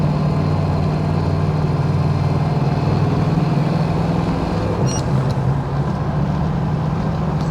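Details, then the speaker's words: 1979 AMC AMX V8 after exhaust repair at a muffler shop for a failing system that had backfired and got louder; deep even burble, steady low rumble, no rattle or puffing, sounding much better and clean; healthy exhaust note. "Listen to that. Sounds so much better. It's clean."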